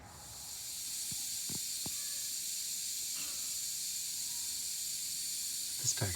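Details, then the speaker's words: Wanderlodge bus with Detroit 6V92TA: a steady high hiss of compressed air escaping from leaky air valves, terrible leaks, with a few handling clicks. The PP1 valve is due for replacement. "the engine's running no difference on the Teter the air Leakes in here as you can he are terrible"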